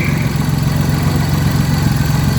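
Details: Car idling after throttle body cleaning with spray cleaner to remove carbon that caused low RPM, erratic RPM and weak pickup: steady, even low idle with a smooth, unbroken beat and no misses or knocks; idling cleanly.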